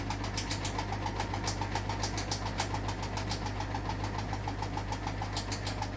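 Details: Hotpoint washing machine on final spin: rapid regular knocks, about three or four a second, over a steady low drone. The owner thinks a drawstring from trousers was catching inside the drum.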